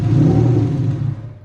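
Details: BMW E36 M52b25 straight-six budget turbo build, first start. A deep, smooth rev falls away cleanly with no knock or rattle, and zero blow-by is seen: normal revving.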